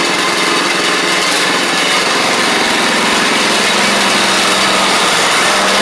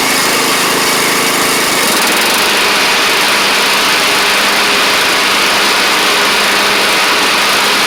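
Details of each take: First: Troy-Bilt Pony riding mower, first start of the replacement engine on fresh gas after the seized original was swapped out: small single-cylinder buzzes at a steady, even speed, no knocks or misses; runs smoothly, though it smoked out the garage. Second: Troy-Bilt Pony rider with a used replacement engine and new head gasket, cold start the next morning: steady, even small-engine drone with a brief rise near the start; runs smoothly but smoked heavily for about the first minute, then cleared.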